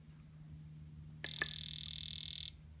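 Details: C4 Corvette fuel injector, new remanufactured unit on test: fast, crisp buzzing click of about four pulses a second over a quiet hum; firing cleanly and healthy.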